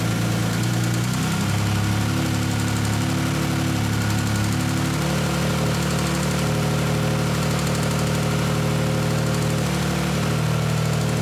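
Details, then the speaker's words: 1959 Aston Martin DB4 barn find, unstarted since about 1982, running after new ignition parts were fitted: steady low six-cylinder burble holding an even idle with a slight hunt, no knocks or misfires; normal running. "wasn't it great great to hear that db4"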